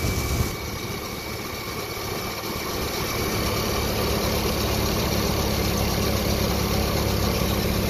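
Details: Jeep that lost all power, started after a burnt fusible link was replaced and the engine ground cleaned, with the fuel pump heard priming. It catches and settles into a smooth, even idle with no misses or knocks. Normal idle.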